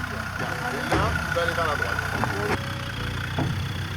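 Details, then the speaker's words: 4x4 crawling slowly through a deep hole on an off-road training course, engine ticking over low, with a few sharp metallic clacks as the suspension springs work; normal spring noise under articulation. "Et bah il est passé le Cayenne. Comme une chef. On entend que les ressorts travaillent."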